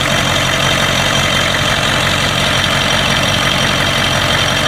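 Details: 1992 Ford 7.3 IDI diesel at idle: rough, uneven beat with random hard knocks over heavy clatter, random misfire with blowby that comes and goes; teardown found second ring broken in half on two pistons, plus one bad valve guide.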